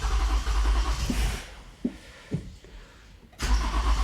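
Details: Toyota Avalon, cranking no-start; gasoline poured into the throttle body earlier did not help, cranked again after fuel pump fixed: steady low starter cranking with a few weak isolated puffs, engine never catches.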